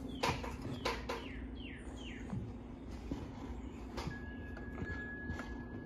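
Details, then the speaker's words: 52-inch Harbor Breeze Lakeside II ceiling fan running only on low on all three speeds: steady, somewhat loud low hum under birdsong outside, from a cracked, slightly melted failing capacitor, before replacement. "it has a bad capacitor it's it's very bad it has couple of cracks in it and it got melted it got melted a little bit yeah and it makes a humming noise makes a the humming noise is a little bit loud"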